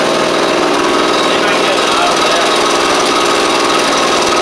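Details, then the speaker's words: Echo PB755ST backpack blower that ran at idle but not under throttle, likely from a bad carb diaphragm. After fitting a carb kit it gives a strong, steady two-stroke roar with no surging: normal running. "That's all it needed, which is great."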